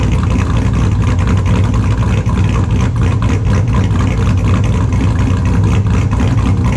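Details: 2002 Chevrolet Silverado with a built LS V8, idling in the shop after a cold start: extremely loud, choppy idle with a rhythmic cam lope, all cylinders pulling evenly and no misfire; normal idle.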